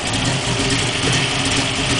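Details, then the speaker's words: 1969 Camaro with a 700hp engine and racing clutch idles with a rough, rattly chatter that may come from the clutch while released. It quiets when the clutch is engaged a little; more clutch may be needed. The cause is unclear. "I don't know if a racing clutch is supposed to sound like that or not, but that don't sound too great to me. No."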